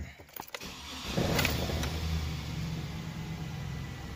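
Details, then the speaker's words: 2002 GMC Sierra, likely 5.3 V8, 221,000 miles, alternator looks new. A short crank, then it catches cleanly and settles into a smooth, even idle with no knocks or misses. Normal startup, a good runner. "it's a good runner actually"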